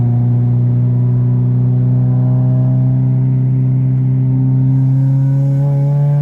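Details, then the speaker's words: 1993–1997 Honda Del Sol with a newly fitted aftermarket muffler, driving with windows down at barely 3,000 rpm: deep booming exhaust drone swelling with revs, far louder than stock, before the exhaust was fixed; muffler excessively loud. "t be this loud the muffler should not be this loud you guys"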